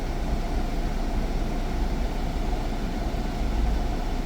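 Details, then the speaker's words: Jeep Cherokee air conditioning running after recharging to the exact 567 g of refrigerant (it only had about 200 g); steady low hum with no rattle or squeal, normal. Noise was due to low refrigerant. "yo creo que va a ser eso porque ahorita ya no se ha escuchado nada"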